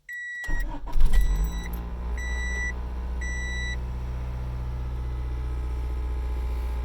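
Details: 1995 Honda Civic EX manual, 206,000 miles, which shut off while driving; after replacing the ignition switch (key cylinder kept): chime beeps, short crank, engine catches cleanly and settles into a steady, even idle with no stumbling.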